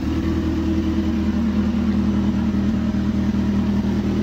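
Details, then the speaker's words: Kawasaki Z750 after replacing the exhaust manifold sealing rings (same part as Twister/CB300): smooth, even idle with no ticking; the tapping that sounded like engine knock came from the manifold and is gone. "Ó, já parou o barulho, hein? Barulho tava dentro daqui, ó. Coletou."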